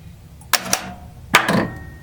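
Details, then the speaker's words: Bally Playboy pinball machine, solenoid test heard from underneath the playfield: four sharp, separate clacks, each coil firing crisply in turn; normal solenoid test. "figured it might be mildly amusing to see the solenoid test run from underneath the play field"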